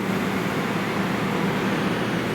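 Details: Sanyo PLC-XF60A large-venue LCD projector (same as Christie LX66A, EIKI LC-X6A) powering up: a steady, even rush of cooling fans with a low hum and no rattles or wobble; a healthy startup.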